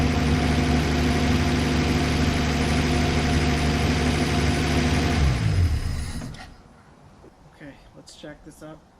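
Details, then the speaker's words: 1964 Plymouth Belvedere slant six, three-on-the-tree, sat about 20 years, running on bad gas: steady, even low idle at about 3.5 firing pulses a second with no knocks or misses; normal idle. "wow it is idle and beautiful"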